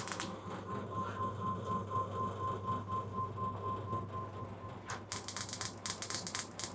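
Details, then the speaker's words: Bench test of a high-energy electronic ignition upgrade kit in a classic car distributor at maximum spark gap: rapid sharp spark ticking around four per second over a steady hum, with louder irregular snaps as spark flashes over from the HT lead to negative. "still jumping but i can hear occasionally jump from the ht lead back into the uh negative on that so i think that's basically it that's maxed out"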